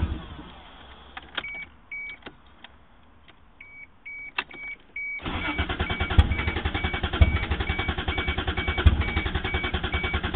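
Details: 1JZ-GTE swapped Toyota Supra: door chimes, then starter cranks steadily for five seconds without catching; previously started and died from a clogged fuel dampener, replaced, ran once, then won't restart.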